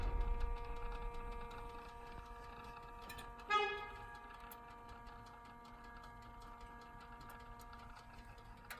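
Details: BMW F10 M5, hot engine right after shutdown: quick light ticking about three or four per second; cause suspected, not confirmed.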